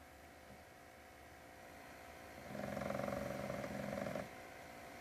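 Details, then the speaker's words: PS4 at idle, grinding heard with or without a disc and worse in graphically intensive games; a rough pulsing grind rises over a quiet hum then fades, felt as vibration, owner suspects the motherboard fan cooling the CPU/GPU, not the disc drive. "you hear that grind so that's actually not the D disc drive it's actually if you can feel it here um you can actually feel it like vibrating when it makes that sound it's definitely the uh fan that's on the motherboard that cools the GPU CPU"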